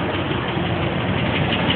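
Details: 2006 Dodge Durango 5.7 Hemi, 112,000 on the clock, idling: light, quick ticking keeping pace with engine speed, loudest at the passenger-side wheel well, hot or cold, worsening; lifters or exhaust manifold bolt suspected, not confirmed.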